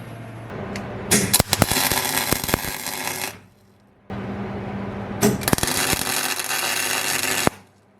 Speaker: I am low on gas, but I forgot to open up the gas. That's how it should sound like.